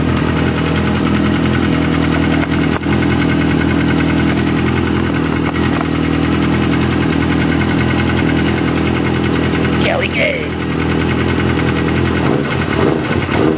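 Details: 2007 Kawasaki ZX-6R (Code 62 solved) with Yoshimura RS5 pipe, K&N filter, PC5 with Auto Tune, warming up: steady, even burble at a settled idle with no knocks, misses or surging; normal warm-up idle.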